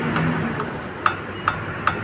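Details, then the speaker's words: Fiat Idea with suspension noise, steering linkage rocked by hand: three sharp metallic clicks about 0.4 s apart; worn tie rod ends on both sides, and a broken stabilizer link was also found. "esses dois terminalzinho direção dos dois lados tá fazendo barulho"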